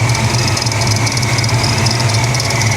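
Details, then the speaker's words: 1994 SN95 Mustang GT, supercharged 347 stroker, previously submerged in salt water: steady idle with a faint, quick repeating chirp from under the hood, source unclear, with belts and supercharger otherwise fine. "Yeah. Well, aside from a tiny chirp coming from underneath the hood here, not too bad."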